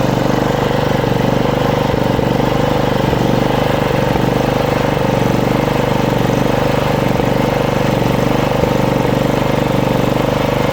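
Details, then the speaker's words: Small lawn mower petrol engine hunting, rpm wavering up and down; traced to restricted fuel flow in the intake pipe from the tank, cleared by blowing air through it. "It's a RPMs drops ups and down, and usually problem is like you saw in before."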